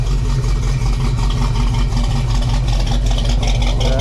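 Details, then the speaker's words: GMC Blazer with essentially stock 454 V8 apart from a cam: deep, loping, choppy idle with steady uneven beat, sounding chunky; normal healthy cammed idle. "Right now we got it idling. It sounds really chunky."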